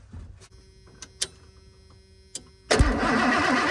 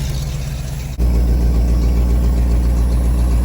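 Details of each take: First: 1991 Ford F250 V8, after sitting: brisk even cranking about six seconds, never fires; good spark confirmed. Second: 1991 Ford F250 V8, after sitting: steady even idle after a brief catch, some exhaust-leak puff from leaking muffler and rotting pipe; now running on fresh fuel, owner suspects old fuel was the issue.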